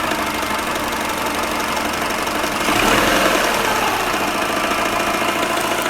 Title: Стук двигателя SUBARU EJ-15